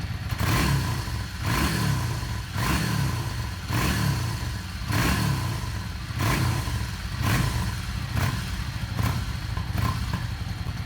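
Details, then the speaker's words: Yamaha Star 650 after carburetor rebuild, before balancing: repeated blips about every second, revs rise and fall crisply; normal throttle response. "re's also some old gas in the system that's running through the system right now through the pump and whatever that's working its way out this is not running on the new gas yet"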